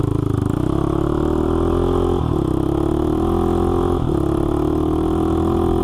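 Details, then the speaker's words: Honda 400EX quad revived after locking up, oil pump replaced and system primed, started by jumping the solenoid with pliers: a steady single-cylinder idle with clean blips, though the header leaks; normal running. "all right it seems to be doing great it's not leing o or anything so this thing runs great"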